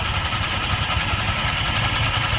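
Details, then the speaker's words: Honda Click 125 scooter CVT running: steady raspy hiss over engine thrum, belt slipping on dirty pulleys; cleaning the CVT quieted it. "ang nag-ingay diyan yung belt. Pero bakit nag-ingay yung belt?"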